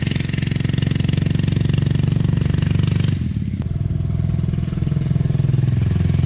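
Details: Honda trike with swapped CM400 automatic twin, long stored, rusty tank: lumpy twin thump that sags under load in gear; carbs leaking gas, owner suspects carb clean needed, main jet suspected.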